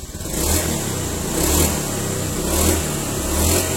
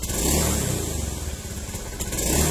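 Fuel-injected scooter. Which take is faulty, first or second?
second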